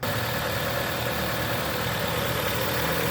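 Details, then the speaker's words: 2011 Jeep Compass AWD 2.4 L, started right after an alternator replacement and belt refit: a smooth, even idle with a steady low hum and no knocks, squeals or belt chirp; the alternator puts out 14.6 volts and it runs normally. "it seems to be okay. Yeah, everything looks pretty good."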